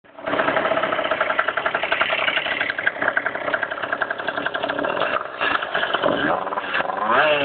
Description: This is my crummy bike with a slapping piston or something